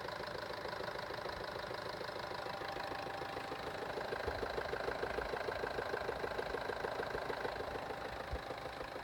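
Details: Steady idle with a sharp, even tick at roughly three per second on top. Internal engine knocking, source not yet pinned down.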